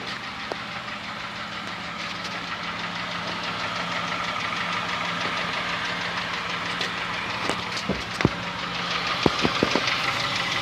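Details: Honda Fit gasoline engine at cold idle: a fast, clattery tick running steadily over the idle, like a diesel Kombi or an old sewing machine, easing slightly once warm; engine ticking at cold idle, cause still to be traced.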